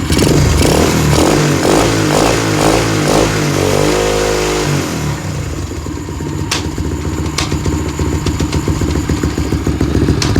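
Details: Apollo dirt bike revving then idling: sharp, uneven clicking from the drive sprocket, which tries to move on most clicks; chain sometimes locks up while riding; cause unknown.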